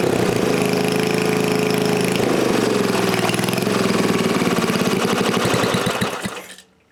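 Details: New-old-stock Briggs & Stratton 5HP dual-shaft aluminum-bore engine, rebuilt, after fixing a no-start caused by the throttle plate closing fully and idle speed set too low; runs smooth and steady about six seconds, then slows evenly and stops; no knock or misfire.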